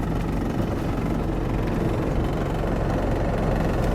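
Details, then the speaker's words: 1997 Lexus LX450 Land Cruiser with Cummins 4BT diesel swap, slightly enlarged turbo and reportedly reworked injection pump, idling after test drive: deep, even diesel clatter with no misses or knocks; healthy. "There you can hear the idle. Now this 4BT, I don't know exactly the specifications on it, but I know it's got a slightly enlarged turbo and I believe they have done some extensive work to the main pump."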